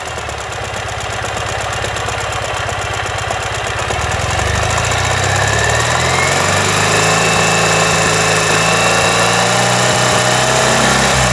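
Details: 2015 Ural Ranger at idle: a heavy, regular knock at about three per second over the idle, caused by a collapsed front crankshaft main bearing.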